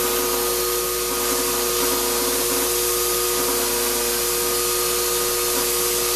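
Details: Shop-Vac vacuuming coarse tumbling grit gives a loud rushing hiss, steady high whine and rough grinding; dust that went through the motor before a dust separator was fitted pretty much destroyed it, and it is not running well.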